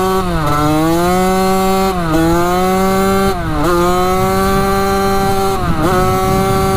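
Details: Rebuilt 1985 Yamaha YZ80 two-stroke, warm and being ridden: crisp buzz climbs through the revs in repeated pulls, dipping cleanly between gears. Smoke out the back, silencer not working great, worn front sprocket; runs strong.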